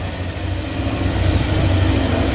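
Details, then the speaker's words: Yamaha NMAX scooter after refitting the aftermarket CVT clutch lining: engine revs on pull-away with a smooth low drone, and the mouse-like squeak from 0-15 speed is gone. "Wala na Wala na tama yung inala natin mga Bok lining nga yan mga Bok"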